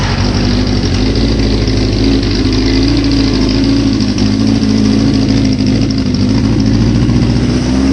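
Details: 1981 Suzuki GS650GL during rebuild, first start on fresh battery with choke and new pod filters: steady even four-cylinder burble holding a smooth idle with no knocks or misses; normal idle.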